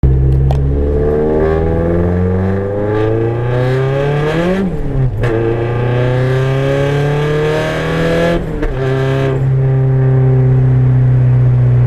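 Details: KA24DET turbo at 7 psi, gentle 2nd-to-3rd gear pull: a hard rising note with a shift dip near eight seconds and a raspy edge from an exhaust leak.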